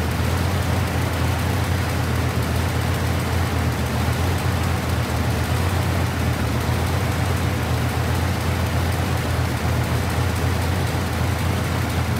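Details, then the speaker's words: V8 car idling with exhaust cutout rattling underneath: loud, rough, uneven lope as one cylinder drops out; infrared thermometer on header tubes showed number seven cylinder not firing or not getting fuel; cylinder misfire. "what i found was number seven cylinder basically is just not firing or not getting any fuel one of the two"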